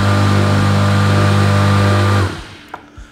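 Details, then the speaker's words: SIP pressure washer electric motor wired directly with switches bypassed, live via jumper to motor and neutral joined; steady low hum for two seconds, then power cut and clean wind-down: motor spins freely, healthy. "So we're looking for this to spin up. Okay, here we go."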